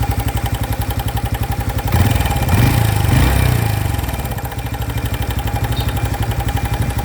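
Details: New 2025 Honda Biz engine shows a new noise after being accelerated to under 70 km/h: sharp, regular clatter about four times a second on the idle beat; abnormal engine noise of unknown cause.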